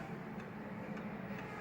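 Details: Antique Seiko 21-day pendulum wall clock after cleaning, oiling and setting the pendulum beat: even tick-tock, about two beats a second, steady and in beat over a quiet room; clock runs properly.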